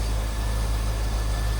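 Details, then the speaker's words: 2001 Chevrolet Corvette C5 convertible, 5.7L LS1 V8, 49,326 miles, heard at the engine bay: deep, smooth V8 rumble holding steady with no ticking, misses or hunting; normal healthy idle. "There it is. That LS1 5.7 L power. Sounds good. Looks good underneath there."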